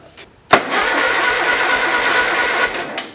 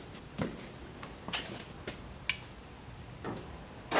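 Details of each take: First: Small Ford lawn tractor with a no-crank fault, battery fully charged, suspected ignition or safety switch; after a repair attempt the starter Bendix now engages: sharp clunk, then about two seconds of steady, even cranking; normal starter cranking. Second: Ford lawn tractor with a fully charged battery, starter solenoid jumped: a few light clicks, then a high free-spinning whir with no cranking. The starter spins without engaging; a Bendix gear not popping out is suspected.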